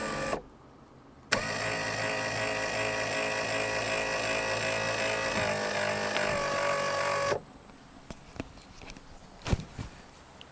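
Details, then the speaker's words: Forest River Palomino SS-1251 pop-up camper roof lift motor after greasing the gears, which had sounded crunchy like sand: steady, even motor hum for about six seconds with no crunching or grinding, normal operation. "okay I don't know if you can tell through the video but I can tell with my ears this is much quieter and I no longer hear that crunchy sound like sand in the gears so I think this issue has been fixed"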